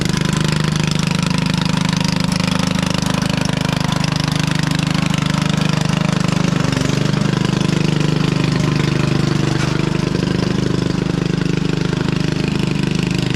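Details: 1996 Craftsman LT1000 Turbo Cool lawn tractor, first start-up on carb spray: very loud, raspy idle with ragged uneven beat and harsh exhaust bark; owner suspected head gasket, but muffler was found split in two and replaced.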